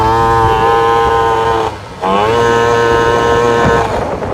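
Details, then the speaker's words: Vento Triton R4 carburetor after fitting a bigger main jet: at full throttle the engine drones flat, stumbles and dips and never pulls; bogging from running far too rich, plug black and saturated, jet swapped back. "I knew this was way too rich here check it out all right we're gonna go full throttle does not even pool whatsoever"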